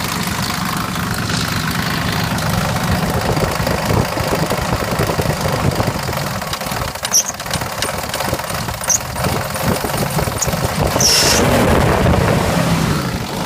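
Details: 2000 Jeep Grand Cherokee Laredo, 4.7 V8, 175k miles, replacement block, misfire and coil codes: a rough idle with tapping/knocking and rattling that sputters at 1000-1500 rpm. Diagnosed as two slapping pistons and a badly slack timing chain.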